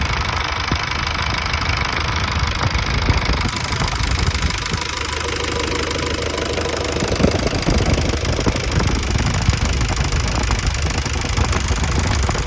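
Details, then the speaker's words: Ford Transit Mk4 2.5 non-turbo diesel at idle: steady clatter under a constant thin whistle and airy rustle, apparently from the alternator area, loudest at idle when cold; cause unclear. "Какой-то всё время свист со стороны генератора, наверное. Ээ особенно на холодную получается, что он слышен на холостов почему-то больше всего."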